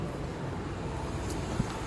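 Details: 2015 Chevy Equinox, good left rear hub hand-spun for comparison: soft low rush with no grinding or rumble, a healthy bearing; the right rear bearing was loud and bad.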